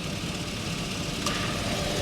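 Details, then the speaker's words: Chevy Vortec V8 truck (1999-2007) at steady idle, A/C pressure switch connector jumped briefly: a click, then a faint new tone near 1 kHz as the A/C compressor clutch engages and the compressor spins; the pressure switch is not at fault. "There it goes. Compressor spinning."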